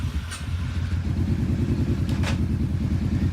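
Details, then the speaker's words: Kawasaki KFX700 V-twin idling after rear cylinder head gasket replacement for white smoke and coolant in the exhaust; oil still slightly milky: even, steady low thump with no knocks or misses; running healthy. "she sounds like it's running good now"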